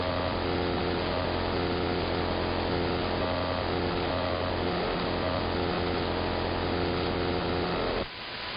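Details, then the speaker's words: AM radio reception: a harsh, steady buzzsaw drone pulsing about four beats a second across the entire AM band, sweeping high and slowly back low in speed and tone. It is believed not to be RF but electromechanical, possibly from an industrial park two blocks north. "Now, I will say this much. It does not seem to be any sort of RF device causing this. I mean, it's up and down the entire AM band. I believe it's something electromechanical."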